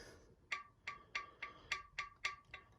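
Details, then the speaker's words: Used wheel with a rubber valve stem, stem pushed toward the outside of the rim: crisp, hollow ticks about three per second from the TPMS sensor hitting the inside of the wheel, showing it is installed. "it's your TPMS sensor hitting the inside of the wheel."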